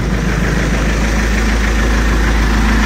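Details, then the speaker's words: Mercedes W203 at ignition on after a temporary wire was laid to bypass a broken cable behind code P1636, the radiator fan running full speed at ignition. Steady, even idle with a smooth low hum, no misses or knocks; fan and engine sound settled and normal. "mettre le contact Cela semble bon"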